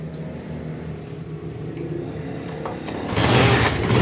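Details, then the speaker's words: Honda CD70 motorcycle after fitting a silencer: low, soft single-cylinder exhaust putter that swells cleanly as the throttle opens at the end; smooth, healthy exhaust sound. "तो आप देख सकते हैं यह आवाज कितना प्यारा हो गया है"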